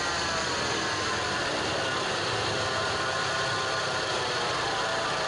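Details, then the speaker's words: Peugeot 406 petrol at idle has a steady, dry whirring growl with a rough rolling note. A worn AC compressor clutch bearing is the cause; the noise stops when the AC is switched on and the clutch engages. "الرولمون هذه تعمل صوت كتبنا وعلاش كي نخدموا كيما نخدموا المكيف تسكت هي لان تولي ما عادش عندها"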